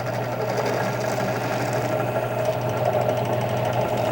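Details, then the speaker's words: Drill press running a Kwik Trim rifle case trimmer for Dillon XL650 reloading: steady motor hum with low drone and light buzz at even speed, reasonably quiet, quieter than a hand drill; normal operation. "But I don't like the noise. This is pretty reasonably quiet here. A little noisy, but not as bad as like a normal drill would be."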